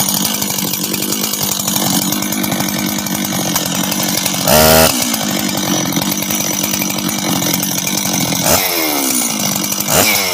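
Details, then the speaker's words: Husqvarna 385 chainsaw, first start after reassembly, first heat cycles: buzzy steady idle with quick clean blips to high revs dropping straight back; starts and restarts easy, throttle response good — normal idle and rev. "hold on work he right work sounds good idles good good he all right um starts restarts easy throttle response is good idle's good"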